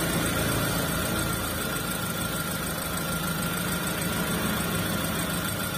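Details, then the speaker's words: T120SS fuel-injected vehicle after cleaning and greasing the ISC (idle speed control), fixing idle RPM slow to drop and hunting: steady even idle, RPM drops to idle quickly and holds stable with no hunting or misses; normal idle. "Oke untuk stasionernya sudah stabil ya untuk posisi jarum RPM untuk posisi turunnya itu tidak terlalu lama untuk mencapai stasioner"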